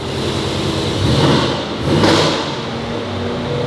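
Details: Mercedes GLE63S AMG V8 (Brabus-style build), first start in over two months, exhaust valve being tried; deep V8 revs up twice and settles cleanly, pulls evenly with no stumble or misfire; healthy engine despite warning lights and fans running full.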